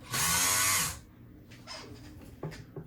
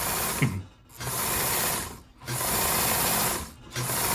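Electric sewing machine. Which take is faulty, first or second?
first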